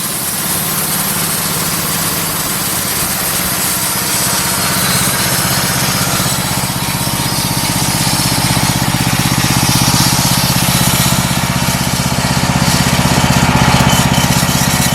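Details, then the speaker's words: Homemade bandsaw sawmill with a 158-inch blade, first start-up, with the blade running just barely above idle. A steady single-cylinder chug at about four beats a second, even and unstrained; it is not run wide open until parts break in. Sounds healthy. "what I was saying was I didn't run it wide open and I'm not going to run it wide open until we get some of these parts broke in better"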